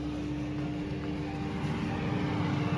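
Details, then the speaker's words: Portable electric carpet cleaning machine after vacuum motor replacement, switched on with the vacuum switches still off: smooth steady mid-pitched whir, no knocks or rubbing; the untouched fan is running normally. "I've not actually put the vacuum switches on yet, but you can hear the fans going. So we're all good there."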